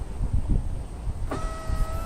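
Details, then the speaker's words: Honda power window after reinstalling the motor to fix a rattle and a window that wouldn't go up properly: smooth, even motor whine with no rattle or clunk as it goes down. "Look at that. Awesome. Goes down smooth, and that's it."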